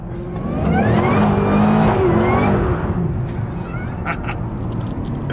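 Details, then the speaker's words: Pontiac GTO with LS engine after a supercharger pulley upgrade (the stock setup was nearly silent): under hard throttle a rising supercharger whine rides over the exhaust note, louder and healthy. "So hopefully now with the pulley upgrade and stuff, you can hear her whine a bit more. So I'll just give her a little, put the foot down a bit, see how she sounds."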